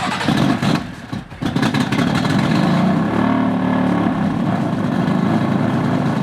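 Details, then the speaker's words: Fire-damaged BMW F80 M3, codes cleared, test battery borrowed from an M4: engine catches, then idle wavers and hunts before slowly settling, a lumpy rumble; rough start, unstable idle; owner suspects the grounding. "still sounds a little bit weird, man. Takes a minute for it to start idling correctly, so that's an issue."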